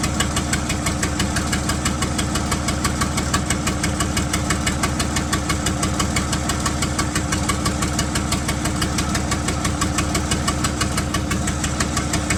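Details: 1975 White 2-150 tractor diesel, first run after about 19 years dormant, unmuffled: loud, even clatter at about three beats a second, holding a steady idle; running cleanly again.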